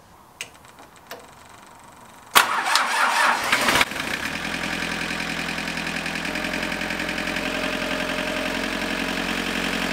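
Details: Tractor diesel after fuel filter assembly replacement (bowl hand-tightened, bled via switch, injector side not bled): short crank, catches and settles into a steady, even idle with no misses or knocks; normal start and idle.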